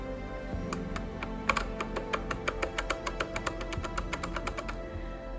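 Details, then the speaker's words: Kugoo G1 electric scooter, worn bushings and axles in front and rear suspension give heavy play; loose front suspension rocked by hand makes quick sharp clacks, about six a second, under loud music, before fitting bronze bushing and axle kit. "большая проблема это люфт подвески вот так это все выглядит [музыка] в общем болтается короче так не люфтит это очень не нравится передняя подвеска аналогично также болтается"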